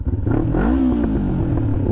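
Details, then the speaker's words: 2007 Kawasaki Ninja 500R on its first ride after carb cleaning with new needles: a clean rising rev through the gear, then a smooth drop at the shift with no popping or stumble; it pulls healthy and shifts smoothly. "she sounds good shift and smooth brakes are working good sounds happy"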